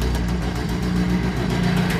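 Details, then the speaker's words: Honda CRX with new intake manifold, no ECU chip, check-engine light on, warming up at idle: fast light ticking following firing rhythm from a cracked exhaust header runner. "it sounds like a big ticking sound which is just a header which is cracked on one of the runners so all that warms up if you hear that in the background that's exactly what it is"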